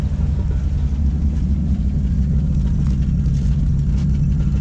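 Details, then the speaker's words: 1957 Chevrolet that had lifter noise, after about five minutes of running: the ticking has gone and it idles with a deep, steady, even rumble, running like a charm. Normal idle. "it's running like a charm that sounds really good right now honestly"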